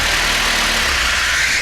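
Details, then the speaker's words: Volvo P1800 rebuilt engine idling in the workshop after first fire-up: steady, even idle with a lot of hissy exhaust and intake noise, no misses or knocks; lambda about 0.9, a little rich but acceptable; rest of rev range still to verify on the road. "We're at idle mixture of about 0.9. I'm happy with that. 0.9 is a little bit rich, but nicer to go 0.9 than to go 1.1."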